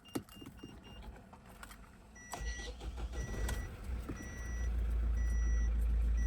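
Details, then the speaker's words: Great Wall Hover H5, GW4D20 diesel, 160,000 km, with heavy crankcase blow-by and high oil use. Cold start after standing 2 days; decarboniser had been poured through the plug holes. Warning chimes, a short crank, then a lumpy, shaky idle felt at the gear lever. Rough cold start. "Ну вот ее потряхивать даже по ручке КПП. Видите? Сейчас. Вот вы видите, да, его трясет."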